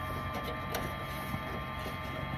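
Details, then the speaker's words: Gas/diesel air heater fuel pump in a Ram Promaster van, after fuel line replacement to cure Error 01/02 air-in-line and lost prime: faint steady ticking over a constant hum, quieter after moving the heat shield; air bubbles working through, normal priming. "See, I quieted [music] that pump down by just moving the heat shield."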